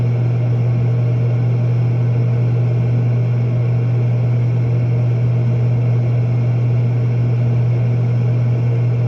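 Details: Propane warm-air horizontal commercial furnace in an attic, after fitting and adjusting a new universal igniter: steady even low hum with constant tone and airy roar, no clicks or surging; lit and running normally.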